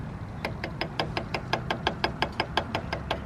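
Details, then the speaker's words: Toyota Tacoma idling: sharp even ticking, about six per second, with shaky belt; worn idler pulley bearing, pulley replaced. "as you can see the belt is like kind of shaky we're getting like a bearing noise from this thing so let me go ahead and turn off the truck hmm i appears the noise is coming from this guy which is the idler pulley"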